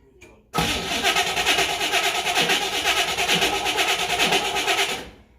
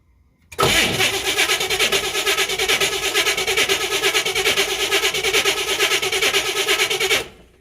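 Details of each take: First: 1967 Chevrolet Camaro RS SS barn find with 15,000 original miles, first start after sitting 40 years, fuel pump off and running on the fuel in the carburetor bowl: it catches after a brief crank into a loud, lumpy V8 burble, then shuts off. Normal start. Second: 1967 Camaro RS SS, 15,000 original miles, sitting 40 years, fuel in the bowl without running the pump: starter cranks steadily without firing; leaking carburetor, coil suspected, owner concludes an ignition problem; crank no start.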